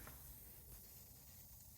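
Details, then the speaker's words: New Craftsman compressor (175 psi max) filled to about 170–175 psi, regulator being set to 80 psi: faint steady hiss over the compressor's low rumble, an air leak at a newly installed fitting, fixed by tightening it. "oh no a little bit of an air leak I have to tighten that a little bit"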